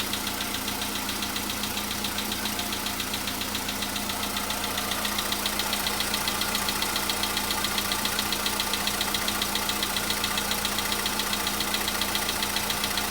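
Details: VW Polo Sedan cold start a day after an oil change and engine flush: a light, even tapping at about 2.5 per second rides over the cold idle, a small engine knock of unknown cause that had been absent the day before.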